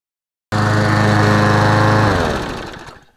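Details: Small mower engine, test-run before sale: runs strong and steady with an even, smooth beat, then winds down cleanly at shutoff; sounds healthy.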